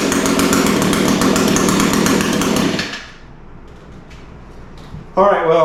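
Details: Echo SRM 225 line trimmer after recoil starter repair and ignition coil replacement screams at full throttle, drops to a soft slightly lumpy idle, snaps back; runs, idle sounds a touch rich, cause suspected.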